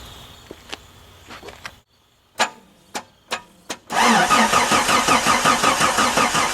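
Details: 1989 Jeep Cherokee XJ Renix 4.6L I6 stroker, first start after rebuild: a few clicks, then steady cranking at about 2.5 beats a second that never catches. Cranks but won't start.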